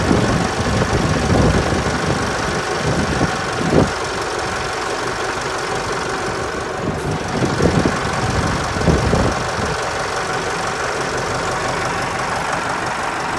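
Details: Ford 4040 industrial tractor diesel after new injectors installed, fairly cold start after glow plugs, clatters at a steady idle with even firing and slight cold roughness; normal diesel idle.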